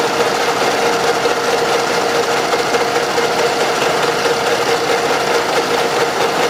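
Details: Running engine with fast, light tapping about twice per second over the clatter; knock from excessive camshaft axial end play in the head, engine with heavy deposits and blow-by; fix: machine the original plug about 0.5 mm.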